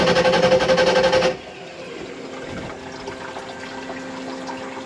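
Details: 1986 Shamrock 20 boat, Ford 302 V8 not started in 3 years: steady rapid cranking with no catch. Oil pressure present, but the bowl is dry, a fuel starvation problem; owner suspects the fuel pump wires may be flipped.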